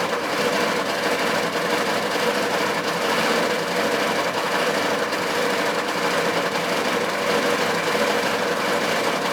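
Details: K3500 6.5 diesel at idle, no throttle input: a fast, busy knock and rattle over a thin engine drone. It puffs smoke, has blow-by and rising oil level, and surges; 45 psi oil pressure while cranking. Owner suspects a rod knock, cracked piston, spun bearing, or head gasket.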